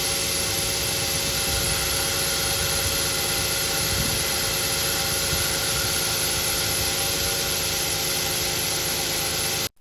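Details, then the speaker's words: Idling car engine with a steady hiss and constant thin squealing from the accessory drive (serpentine) belt, a sign of a fault in the drive belt system. "after contrasting both sounds the sound emanates in from the engine in real time is a squealing sound the chirping sound was just for demonstration purposes built noise is a sign that something is inherently wrong with the accessory drive belt system"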